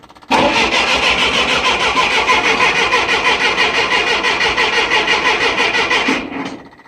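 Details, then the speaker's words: 1966 Clark forklift with a petrol Continental flathead four-cylinder, sitting 6 months on a battery tender, cold, choke pulled, fuel pump clicking; six seconds of cranking at about three turns a second that never catches: fuel-starved carburettor filling its float bowl. "Changing pitch, so it's starting to fill the float bowl."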